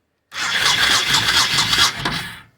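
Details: 1998 Honda Shadow VT1100, 26,823 miles, abandoned bike, before fuel was added: about two seconds of fast, even starter whirr turning the engine briskly. The starter and electrics are working normally.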